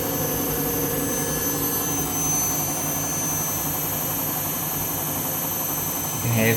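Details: Washing machine, empty rinse cycle final spin: loud steady jet-like roar with a whining edge, typical of failing drum bearings.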